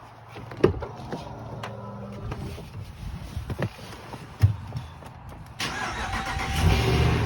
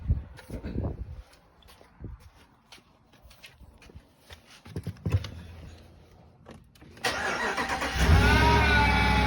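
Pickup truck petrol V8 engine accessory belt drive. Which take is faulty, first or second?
second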